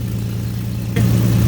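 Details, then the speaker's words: 2005 Ford Mustang 4.0 V6 idling after clogged catalytic converters replaced, possible small exhaust leak tightened: steady, even low idle hum, not bogging, no puffing or ticking; runs smoothly, sounds healthy. "right now it's idling pretty good it's not bogging down doesn't sound too bad"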